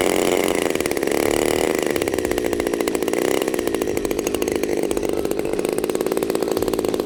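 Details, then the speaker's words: New Turnigy TP-series RC gas engine with Walbro carb and CD ignition, started cold by hand with choke off and idle needle set: fires straight up into a fast, even buzz with steady firing pulses; healthy start. "now I'm going to take the choke off and because the idle needle is set what you should see is that it starts straight away"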